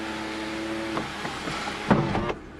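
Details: 2007 Toyota Camry sunroof during recalibration: faint steady motor hum for a couple of seconds with a few light clicks as the panel travels; it sounds worse than before and seems to hit something, but still opens, closes and seals.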